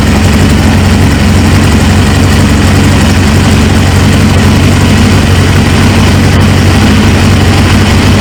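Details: 1999 Suzuki GSX-R 750 first start after fitting a used replacement engine into an abandoned bike, with the fuel pump freshly pressurised: steady, even low idle drone, no knocks or misses; the engine runs healthy though fuel leaks from the tank.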